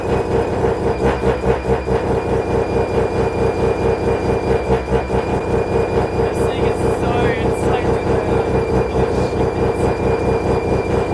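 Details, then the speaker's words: Mazda FD RX7 bridgeport rotary, Hypergear T51R single turbo conversion, first start: very loud, choppy idle with sharp raspy chatter about two pulses a second; massive exhaust leak at turbo exhaust housing, V-band clamp not seated properly. "So first of all, I'm going to quickly just take off the exhaust housing, because as you guys can see, we had a massive exhaust leak."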